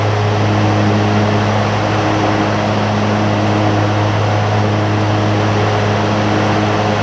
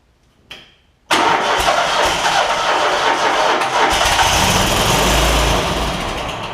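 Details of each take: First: John Deere ZTrak Z915E, Kohler V-twin, sat 2 years; after carb clean fixed a sticky solenoid causing no fuel. Warm engine gives a steady low drone, no misses or surging; normal running. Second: John Deere ZTrak Z915E with Kohler V-twin, sat 2 years, cold day, carb spray added: sluggish crank churning without catching; weak battery turning it slowly.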